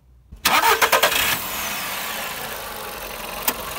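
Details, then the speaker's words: Used VW Polo with the CFNA engine starts quickly and settles into a smooth, even idle with no piston knock; normal, healthy idle. "а самое главное что и поршневая у этого двигателя не стучит"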